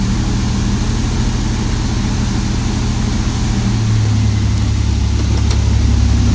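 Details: 1994 Toyota T100 V6 after the misfire fix, with the wires zip-tied into their holders: smooth, even low idle with a steady rumble and no misses or stumbles. Running cleanly.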